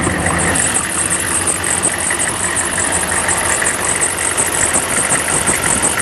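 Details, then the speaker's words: Diesel with a modified large GM alternator on a homemade bracket, already run that day: high repeating chirp about two or three a second over the idle clatter, belt squeak from the crooked, misaligned alternator. "and the you can hear the squeak from the alternator as well"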